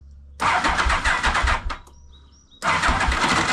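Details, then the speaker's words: 1991 Yamaha Venture Royale rough starting: two bursts of cranking with grinding, slipping chatter and no catch; worn starter clutch slipping, before replacement. "Yeah, you hear that? Slipping a little bit, eh?"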